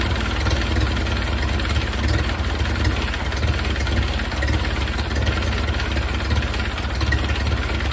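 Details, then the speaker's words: 1931 Ford Model A four-cylinder, long stored in a barn, after adding ignition advance at the distributor cam and turning idle down; steady even low idle, slight exhaust rasp, no misses; smoother idle, carburetor jets may need checking. "turn the idle down and now I heated up the exhaust again so that's going to be fun to be working on but seems to be running a little bit better"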